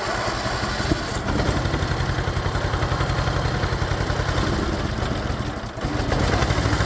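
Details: Cub Cadet just after an engine swap, on its first start attempt after fresh battery hookup. Steady, even single-cylinder thump at idle, roughly two to three beats a second, no knocks or misses. Runs smooth and healthy.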